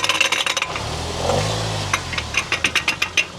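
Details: 2011 Land Rover, noise when turning the steering wheel at low speed: sharp rapid clicks, about eight a second, in bursts over a low hum; worn joint behind a split boot.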